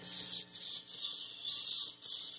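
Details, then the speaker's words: Vintage RCA Victor 45-EY-2 45 RPM record player after all capacitors were replaced: hum with volume up, and only a thin scratchy sound from the needle with no music from the speaker. Later fixed by a new phono cartridge. "there's a still a hum i turn the volume down you can hear hear the music but it's not coming through the speaker"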